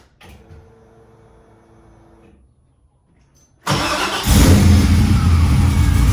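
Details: Camaro, not yet tuned, first start after fitting a new pump: the engine catches at once and settles into a strong, steady idle with no misses or knocks.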